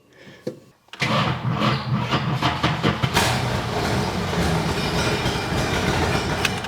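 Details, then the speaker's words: 1971 Plymouth Roadrunner, unused 35 years, first start on a swapped known-good carburetor: the engine catches after tries, then runs loud with sharp, uneven puffing ticks. Exhaust leaks at the heat riser because its cover was left off. "oh you know what it was I forgot to put the cover back on the heat Riser oh God so exhaust is coming out from the intake"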